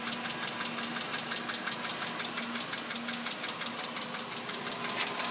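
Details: 2006 VW Jetta MK5 2.5L at idle: sharp even tick about three times a second over a quiet engine; light mechanical ticking, cause unknown.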